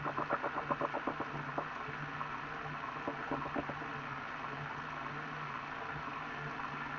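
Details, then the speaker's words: Elite Direto XR trainer under 5,000 km: a rapid knock, about four per second, over a grinding hum from the rear drive, louder under harder effort. Rubber shreds were found; the owner suspects belt wear or the idler pulley, unconfirmed. "so that's the sound coming from somewhere back here it usually gets louder when I ride a little bit harder"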